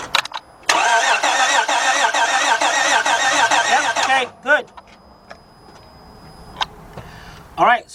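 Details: 2006 Honda Odyssey 3.5 cranks but does not start after dying while driving; cranking during spark check: fast steady cranking with a slightly uneven beat, never catches. Suspected cylinder with no compression.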